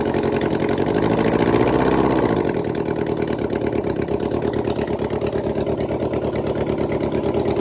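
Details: 1996 Suzuki GSX600F after engine swap, carbs refitted, first start on choke: four-cylinder engine catches, revs easing down to a fast, even idle with no knocks or misses.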